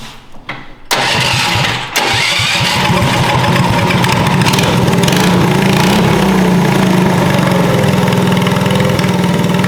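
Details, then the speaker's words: Shriners 1932 Ford Coupe replica go-kart, barn find, swapped to 212cc Tillotson electric-start single, choked from the rear, pinched throttle cable freed: catches after a couple of pulls, then settles into a steady even idle with soft chuffing exhaust. "luckily we found that we popped it up and then it idled down so let's hear this puffy Roar"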